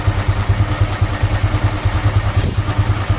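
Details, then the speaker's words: Honda Supra X 125 FI after racing valve springs were fitted; the earlier rough noise was suspected at the cam chain tensioner. Even low putt-putt idle with regular beats and no chain rattle or ticking. Idle very smooth and healthy. "Wah, halus banget, Teman-teman. Gila, halus banget, sumpah ini. Halus banget. Super halus."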